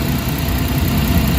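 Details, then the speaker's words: Suzuki DA64W turbo engine after camshaft sensor replacement and battery reset: smooth, steady low idle with no misses, knocks or surging, RPM gauge normal around 1300–1400, A/C on without vibration; normal idle. "So nakita mo yung andar, napaka-kampante. Plus hindi mo na maramdaman yung andar ng engine"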